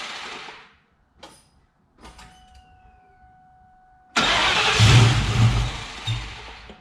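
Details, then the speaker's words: 1999 Ford Mustang GT with Nemak engine, first start after rebuild: short cranking bursts, then engine catches into a rough loud idle; about 70 psi oil pressure while running, a transmission line leak noticed. "well it looks like i got a transline leak going on here but all in all it's alive it was showing about 70 psi of oil when it was running so i'd say that's a good sign it's alive"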